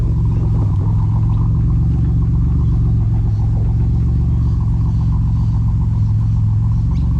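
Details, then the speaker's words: BMW E46 with turbo Ecotec swap, E46 rods and pistons, built transmission, running about 14 psi boost, while driving: deep, even rumble pulling smoothly with no knocks or rattles; healthy, normal running. "Yeah, it's running about it's running about 14 psi at the moment. Sounds good, sounds happy, drives happy, and I'm happy."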